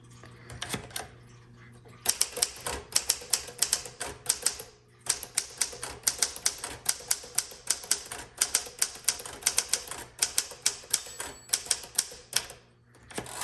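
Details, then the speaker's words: 1960 Smith-Corona Sterling typewriter in Alpine Blue, worn but working (comma key a little slow): crisp key strikes in bursts, carriage pauses and a clear end-of-line bell signalling to hit the return handle; normal typing. "And when you hear that bell tells you, hey, you're at the end of your line, you need to hit the return handle."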